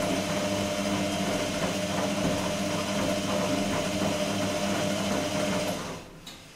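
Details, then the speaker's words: Electrolux-Rex RWP 1273 TFW washer on the 60° energetic wash phase, temperature reached, long rotations with short pauses: steady whirring drum with even sloshing, easing off near the end; normal tumbling, faint ticking accompanying rotations. "questa fase del programma prevede come possiamo vedere delle rotazioni lunghe intervallate a pause brevi"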